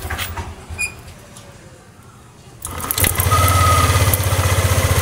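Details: Yamaha NMAX scooter with a no-idle, stalls-off-throttle complaint, after clearing fault codes: a few cranks, a pause, then it catches and settles into an even, steady, fast idle.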